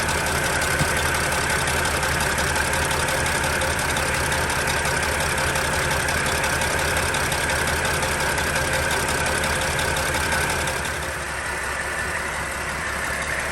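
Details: 2007 Dodge Sprinter 3.0 diesel, smoking, glow plug reportedly tied to fuel rail: idle with regular heavy chugging beat about three per second, steady throughout; leaking fuel injector seal.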